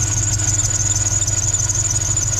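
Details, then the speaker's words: NBS Chevy stepside truck at idle after the ECU reflash: a constant high squeal over a low idle. The owner suspects the belt but says it could be one of the pulleys, unconfirmed. "i really need to probably get a new belt i don't know if it's my belt"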